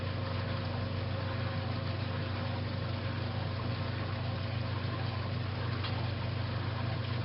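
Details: 1956 Whirlpool Imperial belt-drive washer, restored, coming up to final spin after neutral drain: smooth steady low hum with no knocking, thumping or scraping; spinning normally.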